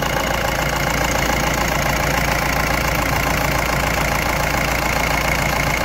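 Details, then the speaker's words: Mahindra Bolero Maxi Truck pickup diesel, about 300,000 km, after engine overhaul for oil consumption (new sleeves, fitting): fully warmed up, steady even idle clatter without knocks, no blow-by or back compression; normal idle. "Engine the sound ਤੁਸੀਂ ਪੂਰੀ ਤਰਾਂ ਗਰਮ ਹੋ ਚੁੱਕਿਆ engine ਤੇ engine ਦਾ ਸਾਡ ਤੁਸੀਂ check ਕਰ ਸਕਦੇ ਹੋ"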